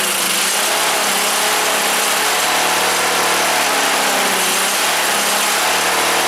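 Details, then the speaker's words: Wheel Horse GT-1800 Workhorse with Briggs engine, after fuel pump repair: rough, uneven idle with hissy top end, runs only on choke; carburetor fuel problem, owner suspects low float, carb rebuild needed. "Back off choke. In this instance, it sounds like carburetor needs to be rebuilt."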